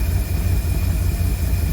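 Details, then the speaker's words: 1952 Cadillac Series 62 V8 idling after a carburetor rebuild with no adjustments: deep, smooth, even burble with no stumbles. It previously stalled unless throttle was eased and now takes full throttle; timing may need a slight distributor twist. "And now it's running great. It's idling, I can slam on the gas and it's doing it."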